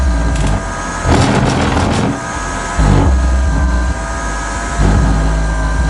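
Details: Car audio amplifier with second battery: deep bass output drops quieter then jumps louder repeatedly when wiring is wiggled; RCA inputs ruled out, cutting in and out, cause not found.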